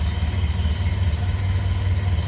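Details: 1928 Ford Model A pickup four-cylinder idling after start, throttle eased back slightly: steady, even low rumble with no knocks or misses; healthy normal idle.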